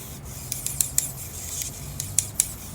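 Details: RC airplane servo on a servo tester with the horn held by hand: sharp irregular ticks and rasping skips, about eight in three seconds, as the servo strains; genuinely stripped plastic gear slipping.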